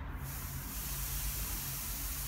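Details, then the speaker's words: Air Products Integra oxy-acetylene cylinder with integrated regulator, number 10 tip, oxygen pressure hard to set at about 4 psi on a gauge reading to 380 psi: steady loud hiss from the torch, oxygen louder than acetylene. "what the oxygen sounds like so the acetylene of four sounds less"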